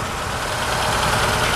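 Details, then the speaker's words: Hyundai running cold after a spray-gas start, idling slow and low with a dull, slightly rough chug and no fast idle; it otherwise stalls cold. The owner suspects the idle air control isn't raising the idle; not confirmed. "there we go now if the idle air control would increase the idle we'd be in business wouldn't that' be nice huh"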